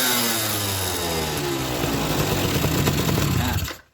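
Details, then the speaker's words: Suzuki RC 100 two-stroke after carburettor and head cleaned of carbon deposits and choke rebuilt: raspy exhaust revving freely, pitch climbing and falling crisply without stumble or misfire; normal, breathing freely, light throttle. "suaranya halus pernah e mesinnya halus dan suaranya bisa Meraung ya teman-teman dan gas-gasannya terasa enenteng"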